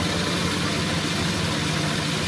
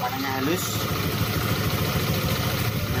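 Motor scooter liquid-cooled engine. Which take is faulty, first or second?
first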